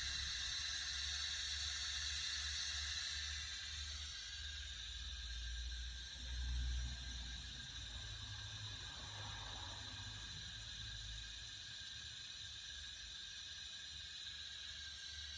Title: Hissing noise r230 sl500